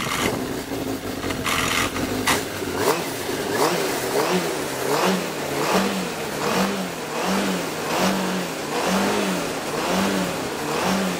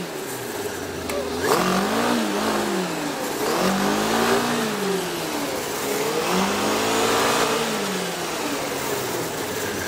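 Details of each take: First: 2003 Yamaha RX-1 snowmobile, 7,383 miles, stored a couple of years: engine blipped in short uneven bursts about once a second, revs hang and won't climb cleanly; dirty carburetors cause poor idle and rough running. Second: 2003 Yamaha RX-1 snowmobile, stored a couple of years with dirty carbs, revved in three smooth sweeps: no rod knock or unusual engine noise. There is only a light clutch rattle near idle, typical of RX-1s.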